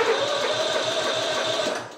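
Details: Simplicity Regent mower, 14hp Kohler Command engine, said to have electrical issues, on jumper pack: brisk even starter cranking about seven beats a second for two seconds then winding down; turns over freely.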